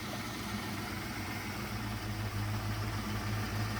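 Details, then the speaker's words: Foxbody Mustang project car running with no radiator: low, even V8 idle with steady lope, no ticking or knocking over background hiss; engine has oil, transmission good, sounds healthy. "but it runs it doesn't tick it has oil has no radiator but it still runs transmission is good"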